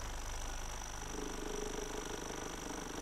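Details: Soft, fairly regular knocking at about three per second over a quiet hum from the pump of a repaired DeLonghi PrimaDonna Elite Experience espresso machine during a coffee test; ordinary pump noise, nothing wrong.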